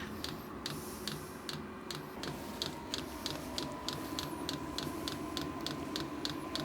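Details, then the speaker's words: New Vevor diesel air heater warming up in a workshop, air not yet hot, with fuel probably not yet in the combustion chamber. Regular ticks about three a second over a soft fan rush come from the diesel pump, known to be noisy: normal running. "alors j'avais vu un petit peu partout que la pompe à gasoil fait du bruit effectivement on l'entend pas mal ça"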